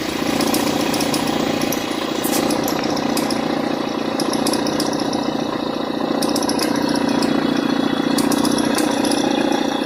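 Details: Mitsubishi ASX with noise on acceleration: a fluttering, uneven belt buzz in the mid range with faint ticking as the accessory belt vibrates. The cause is a worn alternator overrunning clutch pulley; the fix is replacing it.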